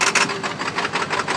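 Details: 1995 Ford F-250 Powerstroke diesel with a bad glow plug relay, starting on ether after long cranking drained the batteries; choppy, uneven clatter in rapid bursts with a hard rattling edge as it runs rough just after catching.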